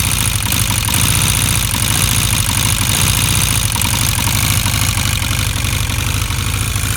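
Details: Honda CB400 motorcycle at steady idle with a fast, light ticking riding over the engine note; owner asks whether it is engine ticking, source not pinned down.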